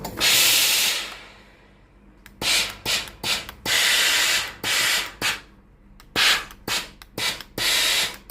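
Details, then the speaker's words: Tefal GV8461M0/23 steam iron, about 12 years old, with no steam and red blinking water light (clogged boiler inlet), upper button: irregular hiss and pump buzz bursts, small pump and water valve cycling normally. "ถ้ากดปุ่มด้านบนก็จะได้ยินเสียงปั๊มตัวเล็กทำงานพร้อมกับเสียงวาล์วน้ำนะครับ"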